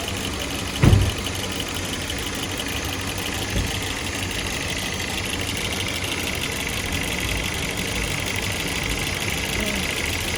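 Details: 2013 Hyundai Sonata engine misfire at idle: one heavy thump early, then a dull, slightly uneven beat under a steady hiss.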